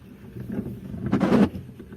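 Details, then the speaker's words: Mitsubishi Adventure with five-to-ten-year-old Bosch wiper blades, on wet sprayed glass: short groaning squeal as the blades drag, same after swapping left and right; worn wipers need replacing. "gonna show you why we need to replace the wiper it's been like i think five or ten year old wiper and it's kind of noisy so we're gonna do a little sound check okay sounds like the philharmonic in action"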